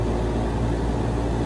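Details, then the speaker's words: Carrier HVAC compressor that wasn't running, windings ohmed out OK, capacitor checked, hard start kit added: loud steady low hum on start attempt with no speed pickup; compressor mechanically seized, fails to start. "Y'all hear that? I think this compressor is shot."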